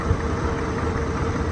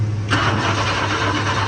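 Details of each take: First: Wrecked 1992 Chevy S10, TBI 4.3 V6 with 700R4, likely not run in years, half the exhaust removed: an even, low, smooth and quiet idle rumble with a faint steady hum and no misses, ticks or knocks; 40 psi oil pressure, charging reading high. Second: Wrecked 1992 Chevy S10 with TBI 4.3 and 700R4, fuel pump not kicking on with the key, fed a little fuel poured in by hand: the engine catches and runs briefly, rough with a low uneven rumble, then dies; tank fuel supply suspected, not confirmed.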